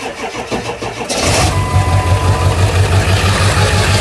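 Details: 7.3 diesel hard start: slow, uneven cranking drags on before the engine catches and settles into a lumpy diesel idle.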